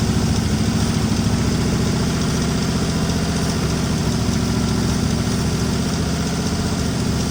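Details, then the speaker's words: 1961 Mercury Meteor, 37,000 miles, first start after 43 years parked, fan belt cut because the water pump is locked up: loud, uneven, lumpy idle with mechanical clatter; rough running, blowing oil from the missing fuel pump hole. "It's alive. Oh, it's blowing oil out the It's blowing oil out the hole here where the uh fuel pump's supposed to go. But by golly, she runs."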